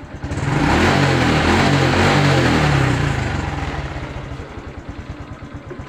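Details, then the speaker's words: Honda Blade 125 fuel-injected motorcycle with neutral light not working, kick-started: revs up cleanly and settles to an even, steady idle with no knocks or rattles; engine sounds smooth and normal. "normal ya ini suaranya adem halus"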